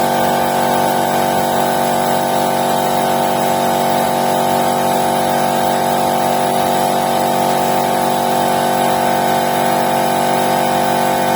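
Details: Air compressor with a 2.2 kW electric motor, restarting under pressure after a pressure release, after repair. It was originally humming without starting; a stuck stator-winding switching relay in the motor cover was suspected. Now a steady, even hum, running normally.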